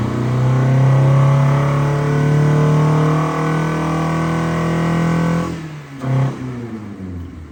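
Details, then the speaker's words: 1988 Honda CRX Si, sat 14 years, first run after new fuel tank, fuel pump and distributor, held about 5000 rpm wide open: loud drone wavers and surges unevenly, then drops off. Rough running; owner suspects clogged injectors or clogged exhaust/cat. "well she runs it's about 5000 RPM whole time too I had it wide open until she started running finally I guess the injectors are clogged sounds like exhaust might be clogged cat something's going on it's not too happy"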